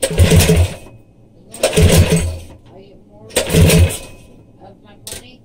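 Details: Coleman CT100U minibike with a swapped-in 212 engine, test run on a new exhaust header pipe that replaced the side pipe: three sharp throttle blips, each revving cleanly and dropping back to a quiet idle. Crisp, healthy running.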